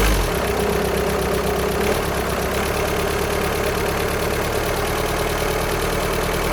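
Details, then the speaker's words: VW Sharan 7N 2.0 TDI common rail diesel (CFFB), cold start after new timing belt, injectors refitted and fuel lines drained without bleeding; steady idle clatter with light metallic rattle; owner suspects bad tensioner pulley, not engine. "So I think the noise at low idle, or at idle, is that tensioner pulley rattling. I don't think it's anything to do with the engine."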